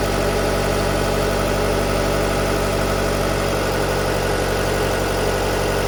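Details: 2019 Jeep Cherokee 2.4 MultiAir with an LPG conversion, which had been stalling on gas with jumping idle revs, now set to run on petrol at about 1000 rpm idle. Steady, even idle with a constant low hum and no rise and fall in revs.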